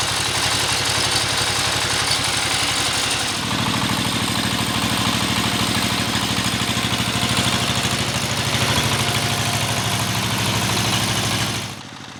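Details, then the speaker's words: Single-cylinder S1115 diesel (Dompeng) that leaked oil from the exhaust, after repair and carbon cleaning, nearly 5 minutes into a test run: even steady thumping, no knocks, misses or hunting, no smoke; normal idle. "sobat diesel sudah hampir 5 menitan kita tes mesin diesel ini ya ternyata juga belum ada asapnya nih"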